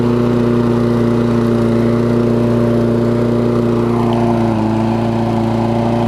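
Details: Toro self-propelled mower with Kohler engine, after cleaning spark plug with carb cleaner restored spark: even, steady drone with clean hum; speed dips briefly, then holds; runs smoothly, no misses.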